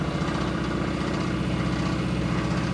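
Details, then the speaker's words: 1975 AMC Gremlin with a 426 Hemi V8 at very low, barely-running idle gives a deep, rapid knock under a rough exhaust after a suspected broken lifter or kicked-out pushrod; rod knock despite oil pressure. "That sounds bad. That's bad. That sounds remarkably like it did when we blew up the 351."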